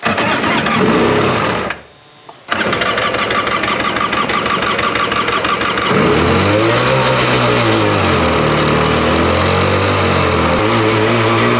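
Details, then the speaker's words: Abandoned Tigershark jet ski two-stroke after cleaning spark plugs and clearing water from the engine: catches after a brief cut-out, then buzzes steadily with a couple of throttle blips; runs fine. Normal running. "well this thing actually runs"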